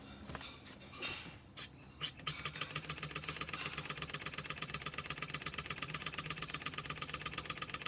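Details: Wig Wag oscillating wobbler engine, after the cylinder, pivot pin, axle and crank disc were fixed: a few starting puffs, then a rapid, even chuff with no knocks or stumbles; running sweetly.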